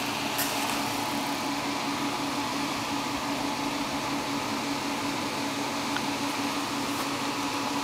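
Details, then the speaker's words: Prototype Volvox GenStation Solo (S1100) generator after engine shutdown following an offload cool-down phase: smooth constant fan whoosh and steady low hum as cooling fans run on until enclosure temperature is safe; normal. Camera microphone exaggerates noise level. "once the generator shuts down the the fans continue until the temperature of the enclosure there we go and as you can hear the the pans are still running and we'll continue until the temperature over the enclosure is down to something"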